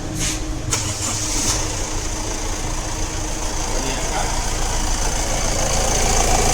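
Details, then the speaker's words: 2015 Honda Amaze diesel after engine mounting replacement (old mount let bracket strike, causing whole-car vibration and noise in reverse); steady even idle, smooth low hum, no knocks, clunks or rattle: noise and vibration gone, normal idle. "वह शोर और वह आवाज अब महसूस नहीं हो रही है, और दूसरी बात, जो हो रहा था, वह भी अब नहीं हो रहा है।"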